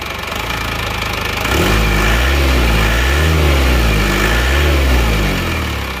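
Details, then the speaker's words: Isuzu Panther diesel, cold, rebuilt after a broken crankshaft, injection timing backed off fully: settles from a lighter patter into a fuller, even idle with soft rhythmic throb, no harsh knock; exhaust smoke normal. "Kalau asap knalpot ini normal ya, tidak keluar asap yang banyak, asapnya normal ini."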